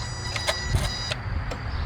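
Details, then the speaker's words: 2007 Nissan Altima 2.5L, new throttle body, idle relearn: ignition on then off, gas pedal released; short electric whir with light clicks as throttle plate motor sweeps after key-off; normal throttle body self-test. "Turn the ignition switch on and then immediately turn the ignition switch back off and wait at least 10 seconds in which you should hear the throttle body make this noise."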